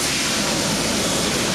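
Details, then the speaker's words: 2013 Nissan Altima with a newly installed blower motor, replacing one shorted by rodent intrusion (no AC, no heat), running with a fuse saver fitted. Smooth, even rush of air from the dash fan with no rattle, squeal or ticking. "And the fan is actually on already."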